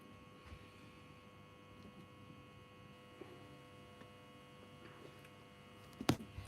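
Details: Workshop strip lights: steady low mains buzz with a faint tonal edge throughout, typical hum of fluorescent tubes.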